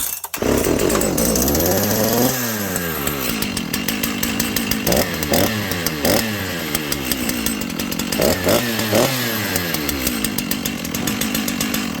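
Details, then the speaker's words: Dolmar 7300 chainsaw with the stock muffler and its carb limiter caps removed, before a Husqvarna 266 Bearclaw pipe is fitted. It blips from idle to full revs with a strong but muffled, held-back bark: the choked stock muffler restricts the exhaust. "But anyway, friends, I ran this saw, and this saw is horribly choked up."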